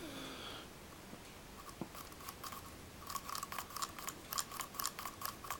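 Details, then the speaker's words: Cheap replacement distributor for a classic Mini Cooper hand-turned: irregular crunchy clicks and clunks from lumpy, rough shaft bearings, unlike a smooth-turning quality distributor. "Whereas you take this one, I think this was like, I can't remember what it was, 65 quid or something, but you can feel it's lumpy. You can even hear it over the ticking maybe of the clock. It's clunk, clunk, clunk."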